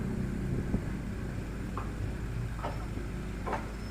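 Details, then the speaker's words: Euro Samurai 150i motorcycle, after replacing the bent, broken spark plug (pushed against chassis hitting a pothole) with a thin long Bosch plug: steady low even idle, no misses; misfire fixed. "Okay na ang motor ni sir. Pinalitan lang natin ng spark plug na bos yung original."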